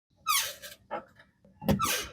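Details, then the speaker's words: Honda City/Jazz/Fit GE8 (2009-2014) manual: two sharp high squeaks with clutch pedal strokes from the dry clutch fork pivot ball at the slave cylinder. It returned a month after greasing, milder than the original squeak. "Maintenant, le grincement est revenu au bout d'un mois, juste un peu, loin de ce qu'il était à l'origine."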